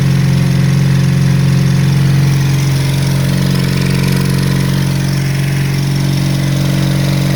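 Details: Honda CB350 Four project bike at first start-up after fuel added: lumpy, uneven idle with a steady low throb that keeps stumbling; two cylinders running well, the other two firing only now and then; misfire cause still to be investigated.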